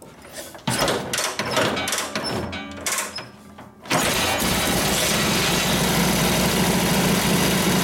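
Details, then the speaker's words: Harley 45ci WL flathead in a 1936 RL bobber, kick-started after sitting six or seven years: a few kick thumps, then catches and settles straight into a steady loping idle; normal. "it starts up in Idol right off the bat not bad for sitting for six seven years"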